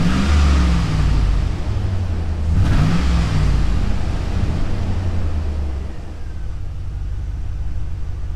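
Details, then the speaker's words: 2000 Chevy Tahoe 5.3L LS V8 revving and settling with an uneven, stumbling low beat: heavy misfires on cylinders 7 and 8, the back two, from rich running, with a coolant temperature sensor circuit high-voltage fault and an erratic temperature gauge. "yeah we're back to misfires and cylinders number seven and eight like a boatload of misfires the back two cylinders"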